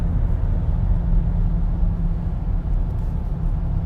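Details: 2014 BMW X3 at 50–60 mph: deep steady hum droning under road noise, found to be a bad wheel bearing/hub.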